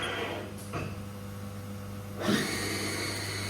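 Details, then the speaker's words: Haas VF1 spindle after a gearbox rebuild, run to 3000 rpm: steady whine with belt noise from narrower hand-cut replacement belts, then a clean high/low gear change with no clunks. Gear change is normal. "Changes gear beautifully, we have no issues. And if we go back to low gear, change gear again, So we've got no high-low gear issues."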